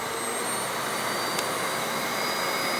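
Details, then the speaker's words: Hoover Windtunnel Anniversary Edition S3670 canister vacuum on high suction, some air escaping from the power brush: steady high-pitched whine with constant rushing airflow, no wavering or rattles; normal running. "And that's high. It's nice, so you can adjust your suction on demand if you have a certain pile of carpet that you feel like is too much or too less suction."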